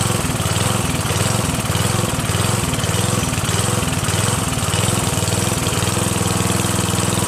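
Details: Northern Hydraulics pressure washer, Briggs 3.5HP, sat 8 years, started on starter fluid sprayed into the air cleaner and run dry without water; smooth, steady buzz with an even beat, no sputtering or surging. Normal running.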